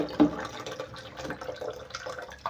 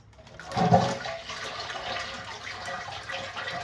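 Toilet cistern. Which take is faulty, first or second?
first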